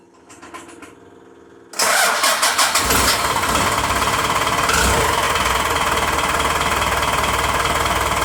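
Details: VE-style diesel injection pump just re-timed (advanced) with dial gauge and timing tool: engine cranks, catches and settles into a sharp, fast, even clatter at idle, diesel knock likely from the advanced timing; idle screw may need adjusting.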